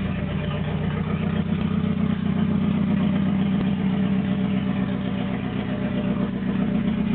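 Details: Toyota AE86 with naturally aspirated 4AGZE on a re-pinned bluetop harness, ECU, injectors and fuel rail, no exhaust past the downpipe: loud exhaust idle with an uneven, stumbling, wandering beat; engine struggling to keep a steady idle.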